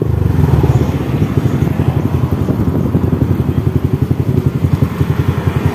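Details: Honda Wave 100 motorcycle at idle, owner's complaint of noisiness: loose uneven clatter over the single-cylinder firing beat; source not yet found.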